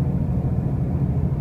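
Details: 2005 Pontiac Grand Prix with brand new wheel bearings and new tires, while driving: deep steady droning rumble with no clear knock or rhythm; loud road noise, source unknown.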